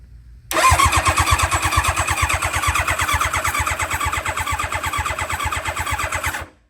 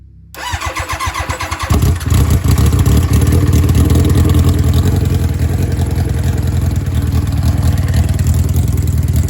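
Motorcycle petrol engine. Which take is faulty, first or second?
second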